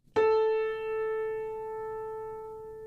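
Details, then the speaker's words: Piano note A in a chromatic scale: single struck note rings clean and steady as it decays, only a slow wave over about 2 seconds; the unison is basically in tune. "That's basically in tune. I heard a slow wave over about 2 seconds."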